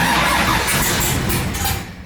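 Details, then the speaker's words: LS3-swapped Nissan 240SX (S13) first start after new starter and hot-wiring the converter box that lacked key power: engine catches with rough roar, then sags and fades within two seconds. Engine stalling after start, cause unknown. "dies out a little bit for some reason. Oops. Yeah, it's not wanting to start nicely, but we got it running."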